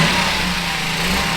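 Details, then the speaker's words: 1978 Honda Z50 with new 88cc big bore kit, first run after rebuild, burning a little assembly oil off the cylinder top: small single buzzes at steady, even pitch with crisp exhaust, no rattles or missed beats; normal running. "Definitely burning a little bit of assembly oil off the top of the cylinder, but that's all right. Heck, she sounds good."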